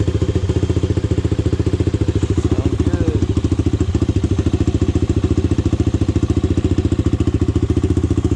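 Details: Honda 400EX single, first start after rebuild and idle-screw adjustment: steady idle thump at about 3.5 beats a second, no knock or valve tick, bottom and top end healthy. The owner still plans to work on the carburetor.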